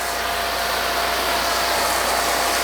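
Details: RealYou no-dilution foam cannon (soap tank on top, under $20) spraying undiluted Adam's Mega Foam: steady, even hiss with no spurts or pressure drops; huge foam output, normal spray.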